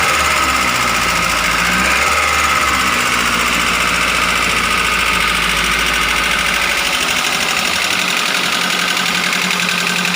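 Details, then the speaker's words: Grand Max engine running rough: idle with a sharp, uneven ticking clatter; piston, bearings or valves suspected before teardown. "Cemen lu suara saat mesin hidup itu kasar seperti ini makanya kita akan membongkar untuk melihat apakah dari piston dari metal atau dari klep yang bunyi"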